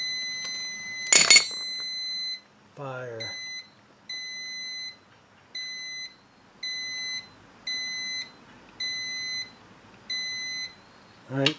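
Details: 1974 Honda TL125, points and ignition timing being set with a beeping points tester: clean high beeps, about eight at roughly one per second, as the points close and open; timing set correctly.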